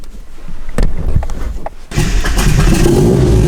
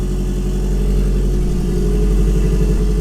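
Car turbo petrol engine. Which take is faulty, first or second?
first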